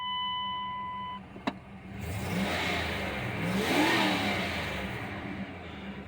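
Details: Dodge Dakota 5.2 V8 Magnum 4x4 just after an oil change to 10W-40 high-mileage oil. A chime beeps first, then it idles and revs up smoothly with no knock or tick before settling back; healthy, with oil pressure still under 40 at idle.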